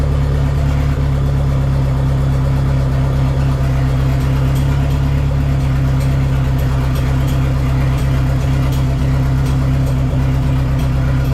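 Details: Dodge Neon SRT-4 on its first start after clutch master cylinder replacement, with new plugs gapped at .032: steady, even low idle with no misses, knocks or surges; normal idle.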